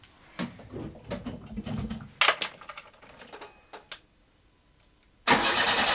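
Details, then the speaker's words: Fiat A112 Abarth revival, long-stood engine, old oil drained, spark plugs removed, fuel pump disconnected: short bursts of starter whirring, no firing; engine cranks freely without binding, normal. "in it currently, so it's not gonna fire. Just want to see if it cranks."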